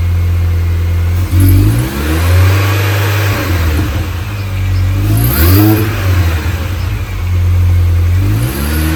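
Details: 2005 R53 Mini Cooper S (supercharged) with lack of power and a strange droning whir on each throttle lift-off as revs drop. Timing chain, supercharger service, gaskets and catalytic converter removal have not cured it. Owner had suspected a blocked cat; cause still unknown.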